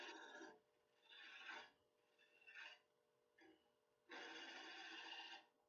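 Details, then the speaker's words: Wood lathe turning a glued-up inside-out ornament blank: short raspy scraping bursts stutter on and off as the tool crosses the cutout gaps; tool chattering on an interrupted cut, needs a light touch. "The other thing you want to be careful of is that you have a light touch when you're cutting over the cutout. This one's going to look like a carrot. Let me put another feature in here. You can hear it almost chattering as it's going between the cutout."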